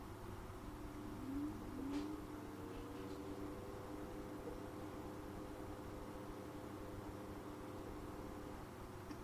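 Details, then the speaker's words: Newly bought replacement cooling fan, wires touched to power on the bench: very faint airy whir with gentle hum, mostly air noise and little motor noise; quieter than the original, running normally. "All I'm really hearing is air noise. I'm not really hearing the motor as such."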